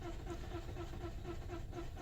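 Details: 2009 Toyota Corolla 1.8, originally long crank on hot restart, now crank-no-start all the time; coolant about 64–73 degrees, about 300 rpm cranking: quick, even starter churn with no catch, never firing. Cause not yet confirmed.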